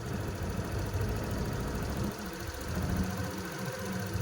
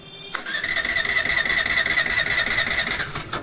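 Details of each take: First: Suzuki Access BS6 scooter with a manual idle adjuster fitted, set to lowest steady beat without vibration: low, steady single-cylinder putter holding an even pace; normal idle. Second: Suzuki Access BS6 scooter that slows and stalls while riding and starts only with throttle: starter whirs about three seconds at closed throttle without firing; TP/idling sensor fault.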